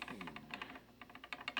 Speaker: that rattle it's hard to do this with one hand but that rattle means that this middle fret is high and I can tell it's high because if you go to turn it like this it'll pivot on the one that's up higher